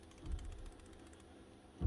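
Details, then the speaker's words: Worn power tool ball bearing being shaken; it looks fine and turns smoothly, but a quick faint clicking rattle of loose balls is heard, then a dull thump; bearing is gone and needs replacing. "doesn't sound bad and it doesn't look bad but it does sound bad if you give it a shake you can hear the balls rattle back and forth"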